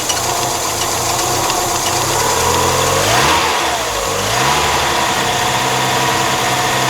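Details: 1997 Mazda MX-5 Miata, microphone on the radiator, idling after start: even idle with a brief rev blip midway and a faint rapid patter on top; abnormal idle noise, owner asking for diagnosis, cause unclear.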